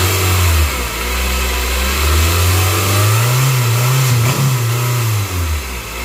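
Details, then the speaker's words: 2022+ Honda Civic 2.0 LX, run without the serpentine belt after debris behind the crank pulley was cleared: engine blipped a couple of times, climbing and settling smoothly with a steady drone and no knock or squeal. Sounds healthy. "Wasn't good? Seems okay, bro. Seems good to me."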